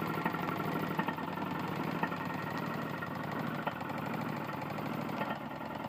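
Small engine idling with a sharp metallic knock standing out every second or so above the chatter, typical of a worn connecting rod.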